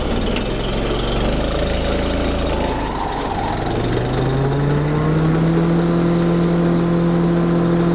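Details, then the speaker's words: DR Chipper CP55047BMN with replacement Honda GX390 13HP single-cylinder engine, after water-damage seizure: runs with even hum, revs smoothly and holds steady, then idled down and continues idling, no knocking or missing; sounds good, normal running. "So, I idled it down. I want to see the engine should just continue to idle. Everything's sounding good"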